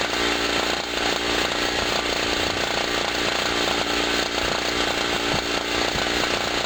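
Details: Generator after its first cold start of 2016, having sat about a year, loaded with a 40 W bulb and a noisy air pump: an even two-stroke buzz holds steady with the pump chattering alongside. Healthy, pulling the load fine.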